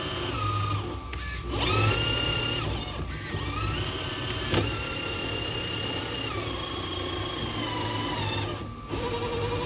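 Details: HB R1001 Ford Bronco RC crawler, after fix: shift servo linkage lengthened two turns. Whining electric drive rises and falls with throttle in smooth, even runs, with no clicking or grinding. Gearbox running healthy.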